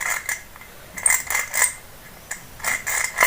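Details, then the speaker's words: Ceiling fan with its lower motor bearing seized, turned by hand: uneven, gritty, dry scraping bursts. The bearing balls are broken and the grease has dried out, so the bearing will be replaced. Dry failed bearing grinding. "ये नीचे वाली जो bearing है ये हमारी बिल्कुल पूरी तरह से जाम हो चुकी है आप देख सकते हैं कि इसमें से किरकिर आवाज आ रही है"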